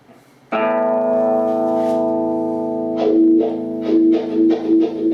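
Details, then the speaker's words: Scratchy wah pedal potentiometer: a ringing guitar chord swept by a rocking wah gives rough crackly bursts as the pedal moves; the pot is to be cleaned with contact cleaner. "So you can definitely hear the scratchy pot there. We got to get some contact cleaner in there to clean it out."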